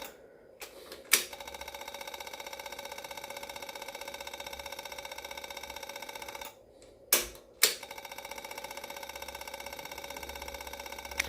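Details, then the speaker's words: Yamaha V-Star 650 Classic with new fuel lines and fuel pump: fast, even ticking with a thin hum that never cuts out; pump keeps priming without building pressure. "good it's definitely taking fuel now but it's not saying it has enough going to keep going until that stops priming if it stops priming might still have an air pocket in the line"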